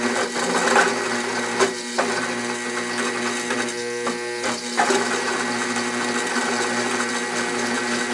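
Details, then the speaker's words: Walker Turner drill press on a DC motor at too low a speed with a 3/4 inch bit: low drone sagging and straining under the cut, motor bogging and near stall, current rising from about 2.5 amps; too slow, raised to 200 rpm afterward, where it drills. "that's way too slow in speed let me crank it up to 200"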